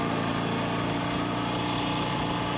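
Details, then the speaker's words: Triumph T90 on its first shakedown ride, in gear on the road: a steady engine note with an uneven flutter in the firing and no clean pull; the bike is fluttering, cause not yet known. "It was about here I noticed that the bike was fluttering."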